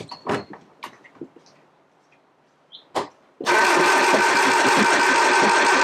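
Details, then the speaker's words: 1969 Triumph Spitfire Mk3, rebuilt engine just refitted, warm starter: light clatter then steady labored starter churn with no firing; fuel pump working but float bowls empty, fuel starvation. "It's getting fuel in. Still getting quite enough out. Empty float bowls."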